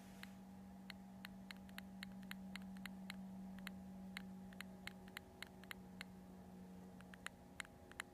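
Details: New Multistar 2216 v2 brushless outrunner motor running: sharp, uneven ticks about four a second over a steady hum; owner suspects a bad bearing, unconfirmed; other motors of the set are fine or milder.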